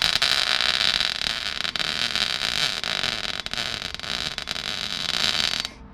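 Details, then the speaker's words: MIG welding inner wing repair on a Rover P6 after voltage turned down and wire speed reduced: harsh uneven crackle and sputter for about five seconds; very blobby weld, welder wonders if gun held too long. "Wow, it was really blobby, wasn't it? Is there a fire in there? That was very blobby."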